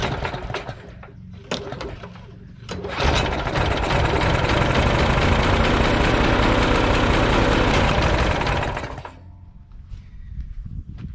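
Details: Troy-Bilt mower, old Briggs & Stratton Quantum 4 HP engine, no-start and gas-leak complaint, fresh gas, cleaned spark plug, choke on: a few pull-cord tugs, then it catches and runs smooth for about six seconds; healthy start.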